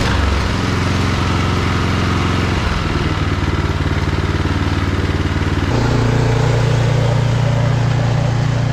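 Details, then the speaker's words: Briggs & Stratton Snow Series engine on a John Deere snow blower with a new HIPA replacement carburetor, covers reinstalled, throwing snow: loud, steady, evenly firing run with a firm low beat; normal running after the carb fix. A broken auger shear pin stops the left auger. "it's sounding good and it's throwing snow pretty decent"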